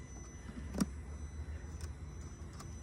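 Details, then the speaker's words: 2004 Mercedes S55 AMG W220 with water in the engine fuse/relay box from a clogged drain tube. Touching the wet modules makes relays click irregularly with no key in, over a faint hum, as the moisture shorts power to ground. "And I bet you, it's as if you turn the key. It's clicking. I can hear the relay clicking."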